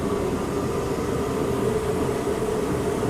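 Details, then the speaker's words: Torpedo heater just repaired, test fire in garage: after a little choke at light-off, steady even roar with constant mid hum, no sputter or surging; burner running cleanly after fix. "she did a little choie thing but she did fire she is on sounds healthy see how long she lasts"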